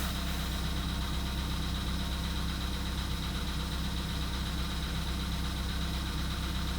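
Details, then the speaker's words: VW Polo Sedan (CFNA), 102,239 km, cold start at −2.5 °C: a minute after start, light regular tapping rides over a low steady idle; engine knock, cause not yet known. "Заводим двигатель на холодную. Еще пока не очень холодно в Петербурге, но вот снег выпал. Даже странно, что в Петербурге снег. Градусов. Стучит. Минута прошла."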